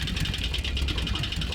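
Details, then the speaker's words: Cheap Mercedes ML63 after sitting months, jump-started: deep rapid heavy knocking at idle under a rough note, sounding like bottom-end damage; previous owner said blown engine, bent rod feared. "well the the previous owner telling us that add a blo engine might be right so take a listen to this knock"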